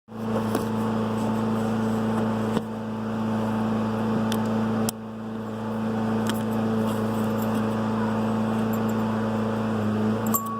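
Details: Garrett 50 trim turbo converted to GTX3076R, built 4 years ago with about 2 summers of driving and under 10k miles, engine at steady idle: droning hum with faint whining as shaft play lets the compressor wheel rub its housing.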